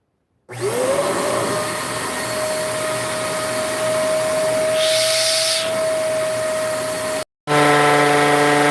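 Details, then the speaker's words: Vacuum cleaner on the bench for diagnosis: motor spins up to a steady high flat whine with a harsh airy rush over it; something inside is not running right, cause not yet stated. "Well, I think I already found out one of the problems. I think I know what the problem is. But you hear that sound."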